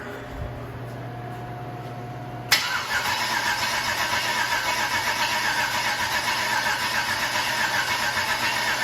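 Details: LS 6.0 V8, reportedly 150,000 miles, on its first start attempt since purchase with a makeshift fuel setup: the starter spins it with steady, even churning, about 2.5 pulses a second, but it never fires; owner thinks it needs more cranking rpm and will charge the battery.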